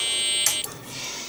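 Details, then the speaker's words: BBC Micro Model B after power-supply recap, with faulty DFS boot ROM refitted: steady high tone at switch-on that breaks off with a click; the bad ROM stops the system booting, fault repeatable. "in fact just to prove it to myself I'm going to pop it back in and turn on the system and there it is exactly the same problem so the problem is repeatable something wrong with that ROM chip"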